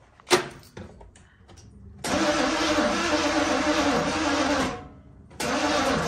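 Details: Box Chevy Caprice, timing not yet set, battery seemingly weak: two long bursts of steady starter cranking, about three turns a second, never fires or catches; crank no start, owner suspects ignition timing.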